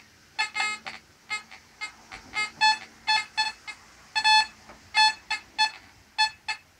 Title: Fisher F44 EMI, chatter, noise problem